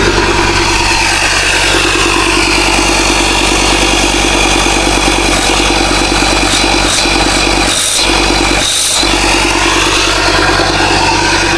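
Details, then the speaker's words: Ford Ranger Wildtrak 3.2 diesel after replacing the failed turbo gasket, exhaust fully refitted: steady, even running at a constant note, no hiss or chuff from the exhaust side, sounds very smooth; normal idle. "Alright, let's run her up with a full exhaust. See if it's made any difference. Sounds very smooth."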